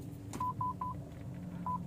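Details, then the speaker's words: 2019 Toyota Yaris in reverse: rear parking sensor beeps continuously, short evenly spaced mid-pitched beeps with no obstacle, exclamation mark shown on head unit signalling abnormal sensor; a rear sensor is open circuit. "sensor mundur bagian belakang itu Bunyi terus lalu di audionya itu muncul tanda seru tanda seru yang menandakan bahwa ada abnormal di sensor mundur"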